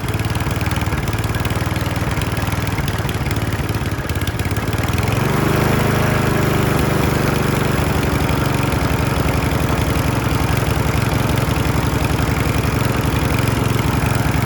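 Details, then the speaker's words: Mountfield RV40 150cc 45cm mower, started first pull on cord: fast even putter steadying after a few seconds, no hunting or surging; normal running. "as you can hear, it started at first time."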